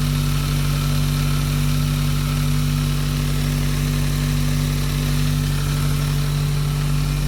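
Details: Turbo petrol engine started after fixing a loose sump restrictor, PCV hose and coolant lines and cleaning the MAF, during misfire diagnosis. A steady, even idle with no stumbles. The idle is normal, though the owner doubts the misfire is solved.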